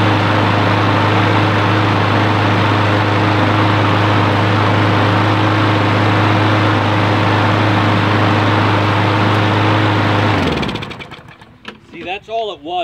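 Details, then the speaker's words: John Deere lawn mower with Briggs & Stratton engine, after cleaning the clogged carburetor bowl plug, air cleaner off; it runs at a steady, even beat with no misses or surging, then shuts down cleanly: fuel flowing, running normally. "that little plug on the bottom of the carburetor was clogged up so now we've freed it up the gas is flowing freely and running just fine"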